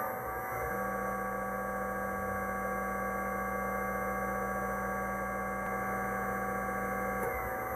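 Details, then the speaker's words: Induction motor from a commercial treadmill powering a bandsaw, run on the bench via VFD after replacing its bearings to cure a rattling noise; steady, smooth, even hum without rumble or grinding, much quieter than before. "well I know you didn't hear it before but that is so much better"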